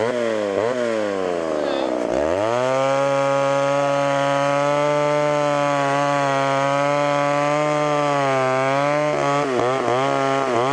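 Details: Homelite Super XL chainsaw with a 20-inch bar: it revs to a high, steady buzz that holds evenly under the cut, then drops back. Runs healthy, needing only slight tuning and chain sharpening.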